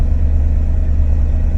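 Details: Corsa B 1.0 16-valve gasoline that started then died, after fault traced to fuel pump relay rather than pump: steady even low-pitched idle with no stumbling, surging or misses; normal idle.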